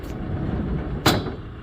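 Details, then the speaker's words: GSX pinsetter sweep, after lubrication: under steady machine rumble a sharp metallic clank, the sweep arm striking the tower sprockets; setting table possibly shifted at its side-frame mounts, fix is repositioning the sweep wagon support plate outside the frame wall. "we can fix that clank by repositioning that sweep wagon support plate on the outside of our frame wall."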